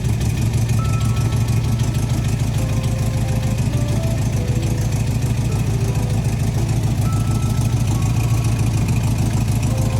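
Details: 1971 VW Bus Deluxe Kombi air-cooled engine, first start after a rusted exhaust was replaced, air cleaner and throttle return spring refitted: an even, low, putting idle holds steady under background music, with no ticking or blowing leaks; normal idle.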